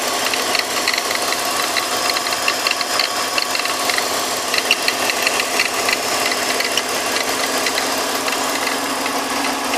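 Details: 2004 BMW X3 E83 with M54B25 engine at operating temperature after a 20-minute drive: even idle with a busy, bubbling rattle over the note; gurgling sound at idle, cause not clear.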